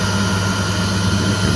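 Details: Candy CTDB H7A1TBE-80 integrated condenser tumble dryer, motor capacitor fault, after repair: steady even motor hum with constant faint whine, no knocks or scraping; drum motor running normally.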